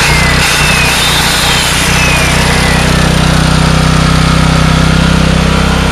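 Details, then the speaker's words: $100 4,000-watt generator restarted after a brief interruption, not fully cold: a loud, steady drone at constant pitch with an even rhythm and no stumbling or knocking. The generator is running fine. "So yes, it does run."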